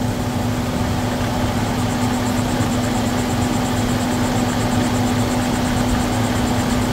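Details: 2011 Volvo XC90 after PCV valve replacement, engine hot: smooth even idle with steady low hum, no whistle or hiss from crankcase breather; whistling fixed, running normally.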